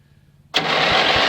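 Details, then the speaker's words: Yard-Man (MTD) ride-on mower, spark fault just fixed, cranking on an empty fuel tank: starter whirs steadily with faint slow compression pulses but never fires; no start because there's no fuel. "Nothing, because it has no fuel. Doesn't need a lot, just enough to say, hey, there's fuel in the tank."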